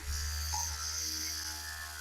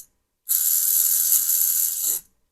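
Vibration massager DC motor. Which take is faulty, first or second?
second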